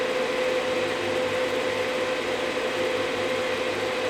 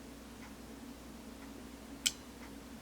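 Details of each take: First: Marantz 2500 vintage receiver on a dim bulb tester with the power amp unhooked: after both relays click, the cooling fan whirs steadily at high speed. A completed startup suggests the transformer is good. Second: Marantz 2500 vintage stereo receiver on a dim bulb tester, power amp section disconnected from its regulated supply: a crisp soft-start and speaker relay click at switch-on is the normal startup sequence, before the fan then runs on high.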